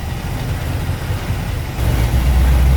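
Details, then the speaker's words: Chevy 350 small-block V8 in a 1973 Buick Apollo, after a Holley carb swap and retightening: lumpy, uneven low idle with irregular heavy thumps and a rise partway through, like a misfire; owner suspects a bad plug wire, not confirmed. "don't talk about still running rough think we got a bad plug wire somewhere"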